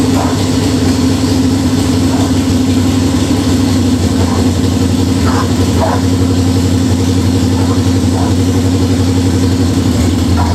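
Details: Budget Beater Chevelle, just revived, distributor re-timed. A steady high idle with faint irregular pops keeps racing and won't drop back. Fast idle; the owner suspects the old fuel, unconfirmed.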